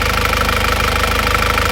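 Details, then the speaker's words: After repair of a 2001 Isuzu Panther diesel: pistons and rings replaced, liners reconditioned, engine warm at 82°. Even idle clatter with a regular low beat and no misses or uneven knocks. No blow-by and no compression leakage; a healthy, normal idle. "tetapi acak hitung itu tetap juga tidak ada pertanda ini mesin kompresinya sudah bagus sekali tidak ada kebocoran kompresi"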